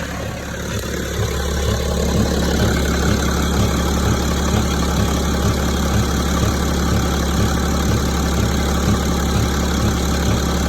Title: Стук в двигателе БМВ е65 , 2006 , 3,0d